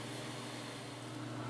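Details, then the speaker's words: Hitachi 400 GB SATA hard drive for a DVR security system, tested on a computer through a SATA-to-USB 2.0 adapter before installing: a steady low hum and a smooth high whine with no clicks or scraping; normal spin-up, drive detected. "there it is finally caught up to it new Drive is found Hardware is installed and ready to use"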